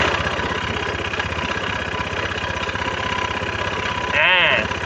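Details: Honda Scoopy-i scooter, kick-started right after a student replaced the drive belt: fast loud ticking knock about four beats a second over the idle, sounding like a broken connecting rod; source unconfirmed.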